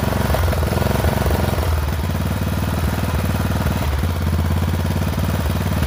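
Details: Poulan XT 12538 riding mower, 12.5 hp single-cylinder, 38-inch deck, carburetor had leaked fuel into crankcase and been replaced; uneven, lumpy idle thumping with stumbles, runs rough; owner suspects valves out of adjustment, unconfirmed.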